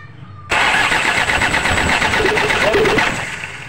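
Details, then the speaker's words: Toyota Innova 2KD diesel cranking without starting; starter turns over evenly but engine never catches; fuel rail pressure stuck at 350 kPa versus roughly 30,000 kPa target, weak supply pump output suspected. "nah seperti itu ya teman-teman prurnya tidak bergerak sama sekali sedangkan targetnya itu yang ini ya.000 KPA hanya 350 tidak mau naik"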